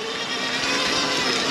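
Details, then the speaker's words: 2022 Sur-Ron Light Bee X electric dirt bike with full power green cable mod, while riding: steady mid-pitched whine with rough whirr, louder than ever before; owner suspects jackshaft, chain not overtight, unconfirmed. "notice the uh bike's making a bit of a weird noise [Applause] [Music] today I don't know that's something to do with a jack shaft but if that sounds like a jack shaft noise please let me know cuz it's never sounded that noisy before"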